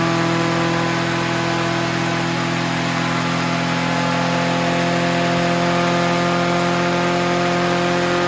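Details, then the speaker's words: Honda HR17 push mower, flathead engine, guessed early-to-mid 1980s, first start: single cylinder screaming flat out at constant high speed without settling; stuck governor holding throttle wide open, kill switch not working. "while well it started and she went wide open heavy red I see why that's doing that and the kill switch don't work but it did start that's a plus"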